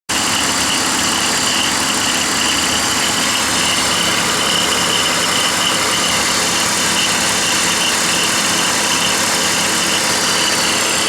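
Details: BMW 325i E46 petrol engine idling with a steady bright metallic rattle and faint high whine from a worn-out idler (deflection) pulley.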